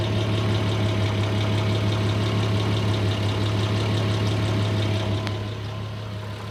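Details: Audi A6 C4 2.6 ABC at idle: smooth idle with a soft, intermittent light knock about three times a second, quieter in person than recorded; source not located; intermittent knock at idle.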